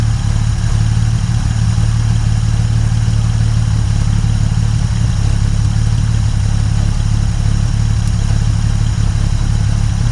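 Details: 1950 Dodge Meadowbrook L-head flathead engine idling after rewiring, 40 lb oil pressure, radiator being filled: steady, even low rumble with no knocks or misses; sounds pretty good, normal healthy idle.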